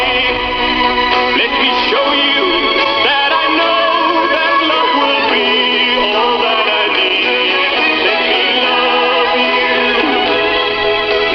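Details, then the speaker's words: 1970s PYE cassette deck after a belt replacement, playing a test tape recorded from an LP: music whose pitch bends up and down throughout from an unsteady tape transport. Severe wow and flutter. "I don't need proper quality tape for this because it doesn't sound good anyway. The wire and flat is off the charts. So yeah."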